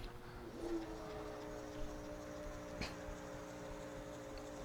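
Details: AC induction motor from a washing machine, bench-wired with the hot on the red lead: steady electrical hum with several even tones and no speed change; it hums, and a bad start capacitor is suspected.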